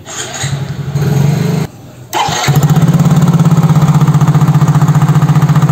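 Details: Soul GT fuel-injected scooter (same engine as Mio J): runs, stalls abruptly, restarts into uneven pulsing idle; plugs, coil, injector, compression, throttle body, fuel pressure all fine; scanner barometer read 85 kPa instead of 95-103; faulty MAP sensor.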